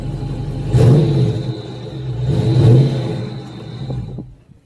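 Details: Dodge Charger 392 SRT at a salvage auction, not running hot, temperature normal. Two sharp throttle blips climb cleanly and drop back to a steady, even idle; healthy V8 revving.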